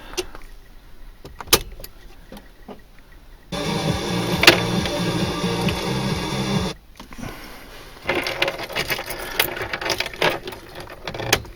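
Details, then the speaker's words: Mercedes Sprinter diesel in frosty weather, first start after fitting a reconditioned starter motor, following long cranking and jump-starts before: a quick crank and a prompt catch into a steady run. Normal start. "so here we are right first start with the new starter motor let's see what happens"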